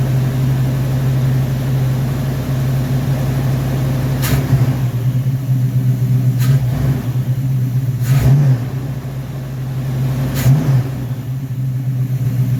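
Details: Rebuilt Rochester Quadrajet 7029202 from a 1969 Corvette (ethanol-damaged fuel bowl cleaned up), first start after rebuild: deep, steady V8 idle with a few clean throttle blips rising and settling quickly; normal idle and revving.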